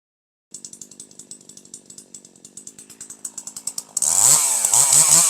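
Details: Older piston-ported chainsaw with the H (high-speed) screw turned down another quarter turn to 1.25: light burbling four-stroking at high revs out of the cut, then a clean, steady, powerful howl in the cut with excellent throttle response; high-speed mixture correctly tuned.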